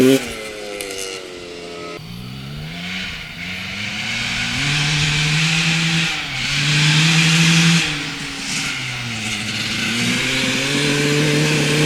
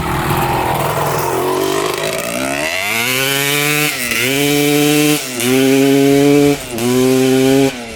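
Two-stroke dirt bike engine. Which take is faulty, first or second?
first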